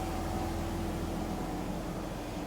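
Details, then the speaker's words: 2005 BMW 330i ZHP straight-six back running after sitting 15 months, oil changed, air meter clips refitted: quiet, even idle with a soft steady hum, no valvetrain ticking, temperatures good; normal idle. "ran it around as you can hear it's nice and quiet temperatures doing great"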